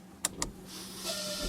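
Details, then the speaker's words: 2004 Toyota Avensis rear washer pump tested on the front-working wire to rule out stalk: switch clicks then thin steady electric whir; the motor runs, confirming the fault lies elsewhere than the stalk. "l'entend on entend qui s'actionne le moteur donc mon problème vient bien d'autres moteurs qu'à un souci"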